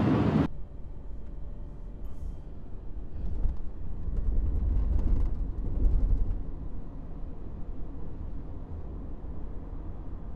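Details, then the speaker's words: 2014 Subaru Forester after rear right wheel bearing replacement, highway speed 40–65 mph: steady low road and tyre rumble, faint droning growl now gone. "But I don't hear it anymore, so this one's fixed."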